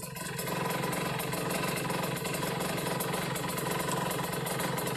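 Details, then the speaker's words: Kawasaki Ninja RR two-stroke, stock engine, stock Mikuni 28 carb, racing exhaust, air screw at three turns: revved and held high, crisp but thin and flat, no wet burble; carb set too lean. "ini kayaknya kekeringan ya teman-teman sebetulnya boleh-boleh aja settingan kayak gini enaklah jengat jengit bawahnya gitu kan"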